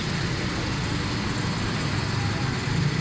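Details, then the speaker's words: Suzuki Cultus EFI after repair of missing, pickup and fuel faults, loose tappets adjusted: smooth, even low idle with steady beat, no misses. Normal idle. "ये देखें गाड़ी start है बिल्कुल still है जबरदस्त कुछ भी नहीं है"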